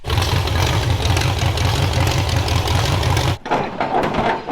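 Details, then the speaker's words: Carbureted derby-car engine idling rough: uneven, lumpy low rumble with irregular pulses, then cuts out; owner suspects a plugged air cleaner or carburetor problem, not confirmed. "hit this Hood unbolted see if we can figure out what's going on with this engine maybe the air cleaner is plugged or if there's something going on with the carburetor"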